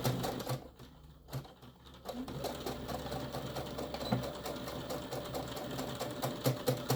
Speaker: my machine needs a little cleaning I can hear it clicking